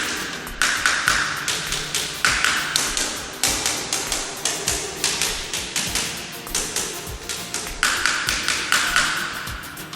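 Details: Tapping rod run along wall tiles during a home defect inspection, hard taps with some ringing dull and hollow instead of high-pitched; tile may be debonded from its cement render substrate.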